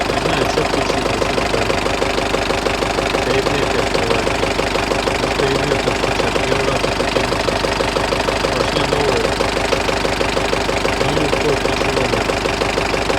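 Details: Turbocharged diesel at idle, engine at about 60–65 °C, oil pressure near 2.2–2.3 kg (about 4 kg cold): sharp, regular knock about three times a second; knock appeared and has been driven 1000 km without worsening; cause unknown.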